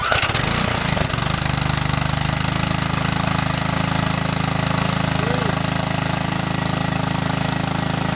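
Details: Yard Machines edger, 3.5 hp Briggs and Stratton, after Pulsa-Prime carburetor service, cold first start after three primes: catches at once, steady even single-cylinder beat with no misses or surging; normal running.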